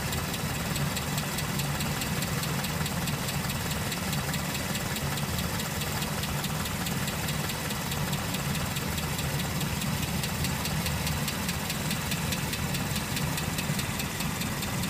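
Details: 1969 Land Rover Series IIA: even idle with a fast, light ticking riding over the engine throughout, steady with no speed change; engine ticking at idle, source not pinned down.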